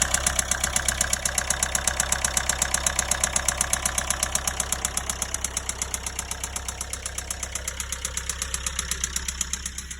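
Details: Nissan Qashqai J10 1.5 dCi diesel at idle: hard, even knocking about four per second, with white-grey exhaust smoke, hardly any power and no fault codes; owner suspects top end; engine knocking.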